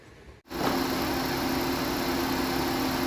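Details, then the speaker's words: Thai car after replacing the exhaust oxygen sensor and an air sensor, which fixed shaking and stalling at idle that new spark plugs and coils had not cured: engine starts and settles into a smooth, even idle with no stumble or shake. The idle problem is resolved. "ปรากฏว่าเครื่องตัวนี้ไม่สั่นแล้วนะครับแล้วก็เดินเบาก็ใช้ได้ปกติแล้วนะครับ"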